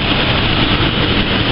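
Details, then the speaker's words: Ford Falcon with overdue, dirty engine oil (owner says change at 7,000 km, not 20,000 km), just started: even, steady engine drone with no ticking or knocking over the short run. Nice and quiet, normal idle. "[Music] see the engines nice and quiet um"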